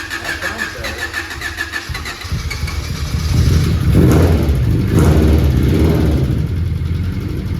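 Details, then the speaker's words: Honda Prelude engine start after valve lash adjustment with new retainers, springs and LMAs: catches after a couple of cranks, rough idle with light fast ticking over engine note; sounds better but still very ticky, owner considers tick normal. "It already sounds better. It still sounds very ticky."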